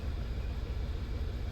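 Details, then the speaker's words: VW Tiguan at idle after head port cleaning, new injectors and water pump: low, uneven rumble with a skipping beat, running on three cylinders with EPC light; cylinder 1 continually misfiring, some on 3. "and cylinder number 1 is continually misfiring. A little bit on number 3."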